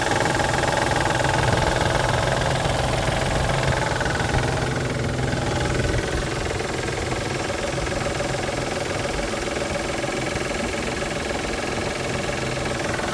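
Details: 1999 Isuzu VehiCROSS, 127,000 miles, at idle a month after timing belt tensioner and seal replacement: a regular knock about three or four a second; the cause was a collapsed timing belt tensioner and water pump, and the engine ran fine after repair.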